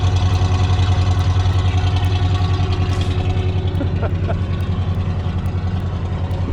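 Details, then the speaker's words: 1979 Jeep Cherokee Chief S Wide Track, revived after long sitting, no fuel leak, hood partly lowered. A low, smooth, even, quiet idle with a soft steady pulse and no misses or knocks; the exhaust smells but shows no smoke. "You can appreciate just how beautifully quiet she runs."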